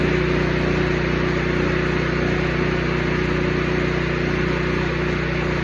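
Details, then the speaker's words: Porter-Cable 24 gal air compressor after maintenance, sand, mud and water cleaned out via drain plug: even steady pumping thrum about three beats a second, no knocks or squeals; running smoothly. "We're about to listen to this son of a bitch sing its heart out."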